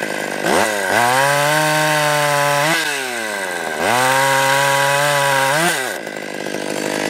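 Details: Stihl 020 AV chainsaw fitted with new clutch, new nose-bearing bar and new chain, warmed up with idle raised, first cuts: crisp high scream bogs slightly biting into wood then revs cleanly back; normal running under cutting load.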